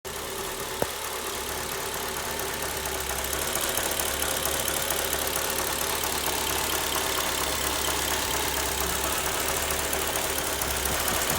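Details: Mercedes CLK 500 petrol V8 at idle: a busy, fast metallic clatter over the steady hum; rattling of unknown cause, owner asks what is defective.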